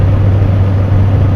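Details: 1997 Jeep Grand Cherokee after fitting a new belt: steady low engine hum at idle with no chirp or squeal from the belt; belt drive and pulleys sound healthy.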